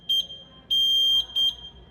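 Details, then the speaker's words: Taylor C723 soft serve machine with a left-side thermistor unplugged gives three sharp high-pitched short-long-short beeps, a left barrel thermal fail / open sensor alarm; thermistor to be replaced. "And you hear it beeping. Let's go see which side it is. Left barrel thermal fail."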